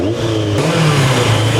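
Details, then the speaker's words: Turbo Yamaha motorcycle, first run in about 40 years after work on fuel pump and cranking, warmed up: quick rev blip settling into a steady, even idle with no knocks or rattles; normal rev and idle. "Sounds good."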